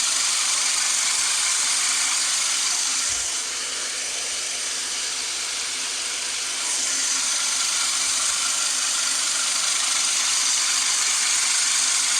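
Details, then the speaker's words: Great States manual push reel mower being backlap-sharpened: reel spun against bed knife with lapping compound gives a steady gritty grinding hiss and rasp with even ticking about three per second, getting smoother and more even as it goes. "I don't know if you can hear that when I applied that lopping compound it changed the sound of the the reel it kind of made a greedy grinding sound and it kind of got smoother and smoother as it went"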